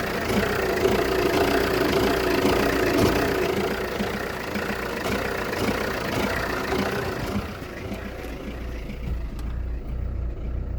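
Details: Jeep Renegade 1.6 Multijet diesel at 177,000 km misfires at idle after 3-4 minutes with an uneven, lurching beat; no check engine light or smoke, clears once warm, exhaust smell slightly increased; owner unsure of the cause.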